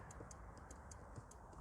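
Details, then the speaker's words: 2003 Volvo V70 estate, testing windows: front passenger window goes down but not up, rear windows dead, with faint quick steady relay ticking about five a second; owner suspects a pulled fuse; relay clicking. "passenger side to go down anyway doesn't mean to go back up oh want of course the rears don't work I can hear a relay"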